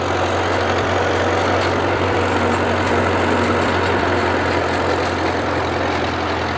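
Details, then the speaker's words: 1938 Case RC tractor with sunburst grille, just delivered, condensation in the engine: steady low idle with uneven beat and occasional dropped firing pulses; suspected carburetor issues causing a slight misfire at idle. "yeah it's definitely i think it's definitely got some carburetor issues i can hear it kind of missing a little bit"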